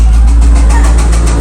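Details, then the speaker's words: Trackhawk: a deep heavy rumble with a fast repeating knock from the bottom end that grows sharper when revved. Rod knock from failed rod bearings. "So, how you can tell if it's a rod knock? uh differently from like a top end failure referring to the cylinder heads is if if you rev it and the knocking sound increases."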